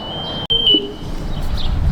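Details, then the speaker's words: Discarded Chuck E. Cheese machine in dumpster outdoors: loud, steady high-pitched electronic beep over outdoor background noise; alarm sounding continuously. "Okay. So this is, I'm sorry that is so loud, it's this right here."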